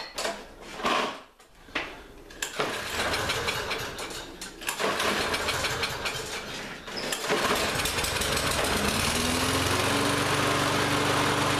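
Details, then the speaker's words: Lawn-Boy mower that ran fine last season but wouldn't start this season, after spraying carb cleaner into the intake with air filter off: a few rough start attempts, then it catches and holds a steady, even buzz; now running normally. "so so far it's running pretty good now this is all just in a couple minutes"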